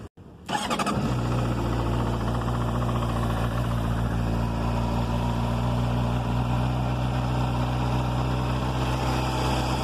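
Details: 2007 Honda CBR600RR: fires and settles to a fast idle with a light metallic chatter over it; the shop found the cam chain tensioner caused the strange engine noise.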